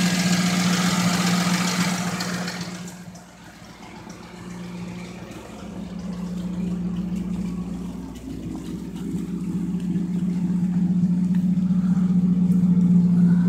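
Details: 1997 Lincoln Mark VIII idling with a quick, regular light tapping over the idle that rises briefly with revs; owner suspects a loose timing chain. Running 10W-30 with a Motorcraft filter; a known intake leak is also present. Tap source unconfirmed.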